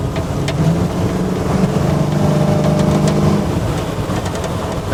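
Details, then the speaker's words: 1968 Chevy with an LS swap, idling during tuning after low-end timing and IAC closing-rate adjustments: a steady, lumpy cammed V8 idle with no stumbling or hunting, and the engine sounds healthy. "thing sounds good"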